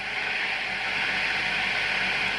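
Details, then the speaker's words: 12V DC electric car AC compressor on a 50 amp setting, pulling 40 to 60 amps with wires getting hot; steady hissing, strained even drone as it overloads the power supply, regulating but still cooling. "It's trying to regulate, but the consumption is just too high. I wonder what the voltage is when this happens, but it's pulling. And we can hear it 60 amps, so it's loading so much on the system."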